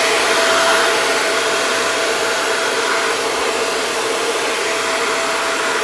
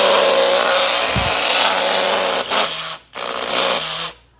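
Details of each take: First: Taiff hair dryer that was noisy, locking up and smelling burnt, after the bearing was replaced: a smooth, steady whoosh and even motor hum with no grinding or rattling until it is switched off; runs perfectly. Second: Taiff hair dryer roars with a rough, buzzing rattle over the airflow; it also jams and smells burnt, from a worn motor bushing.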